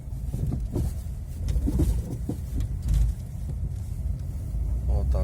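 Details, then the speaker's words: Chevrolet Cobalt driving over rail tracks while steering right: irregular dull knocks from the front suspension, the worn left ball joint; also audible over speed bumps. "вот так вот это был стук левый шаровой опоры сейчас еще раз"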